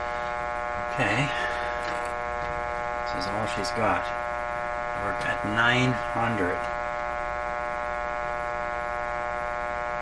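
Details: 1925 Magnavox Type D TRF radio on bench supplies during restoration: steady low mains hum with faint voices, no station received; detector tube suspected not detecting, cause not confirmed.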